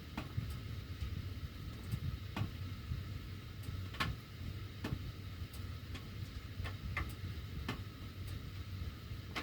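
Sharp irregular ticks every second or so over a low steady air rumble; ductwork ticking while the heat runs, cause unclear.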